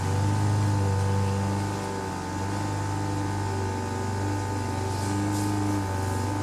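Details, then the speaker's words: Craftsman four-stroke edger, Tecumseh engine, throttle about halfway: drones at steady low speed that never rises despite throttle adjustment; governor linkage hooked in wrong throttle hole. "so so yeah i see what he says you saw when i was trying to adjust the throttle it's not making any difference at all so my guess is it's probably uh i'm going to take a look at the governor linkage and make sure it's hooked up correctly"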